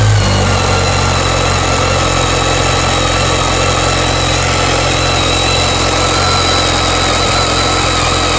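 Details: BMW K1300S motorcycle running evenly with a steady high screechy tone riding over it without fading; owner asks if normal; source unclear, needs checking.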